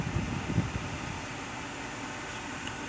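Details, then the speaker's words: 2011–2015 Kia Sportage after replacing a dash actuator, engine running, blower on defrost at setting two to three: steady, even blower rush with no knocking behind the dash; the previous knocking is fixed. "we're gonna take and put it on two three we're gonna take and press our defrost button and we have no more noises"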